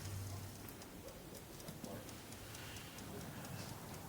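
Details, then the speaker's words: Clock, restored and reassembled with the mainsprings wound, just after the pendulum is fitted. Crisp, fairly even ticks with a lively beat and no drag; a good-sounding, healthy tick. "And that's a good sounding tick and uh and a good lively action as well."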